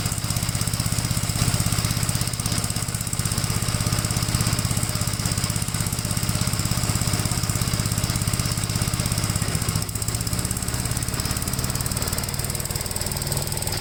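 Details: 1957 Gravely with a smaller 12-volt battery fitted, mowing soaked grass: steady, even single-cylinder thumping holds its speed under load with no stumbles or knocks. The healthy engine pulls strongly and cuts with power to spare.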